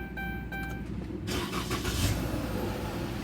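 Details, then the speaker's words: 2015 Dodge Charger, automatic, push-button start after no-crank/no-start repair (battery reconnected, damaged wiring fixed): brief chime tones, then engine catches cleanly and settles into steady idle with no misfire or stumble; normal start. "Ayan guys. So okay na. Start na siya guys."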